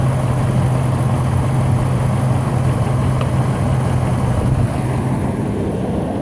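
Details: 2005 Dodge Dakota 4.7L with hard-start and stalling complaint: loud, steady, low idle rumble with an uneven, lumpy note underneath, consistent with a misfire, cause not yet found.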